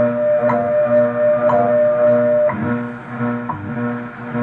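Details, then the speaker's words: Heathkit IB-1101 being aligned against WWV: steady tones pulse with a throbbing beat that shifts partway through as the tuning moves toward zero beat. "okay listen close i'm going to take it out of tune then get it as close as i can to beating um to to be being beated and then i'm gonna beat it"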